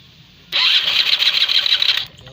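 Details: Stock Honda Flash scooter: short high-pitched burst of about 1.5 seconds that cuts off without settling to idle; hard starting.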